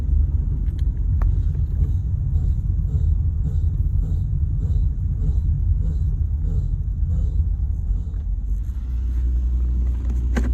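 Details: Ford Territory driving: a soft thump repeats roughly three times a second under road rumble, tied to wheel rotation; rhythmic wheel noise, source not yet pinned down.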